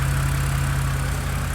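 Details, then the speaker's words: BMW E90/E92 with stutter and rough idle, right after the VANOS solenoids were cleaned and reinstalled, ignition coils checked good: steady, even low idle with a smooth pulse, no stumble or misfire; normal idle. "Well, let's see if it worked. [snorts] seems to be doing a lot better."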